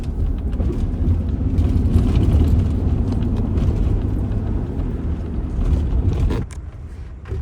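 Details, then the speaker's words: 2000 Ford Ranger 3.0L V6 after cleaning mass air flow sensor, throttle body and idle air control valve: steady low rumble, no hunting or surging, idle holding even; normal idle, high-idle problem fixed. "It's idling perfectly, like it's supposed to. Idling high at all."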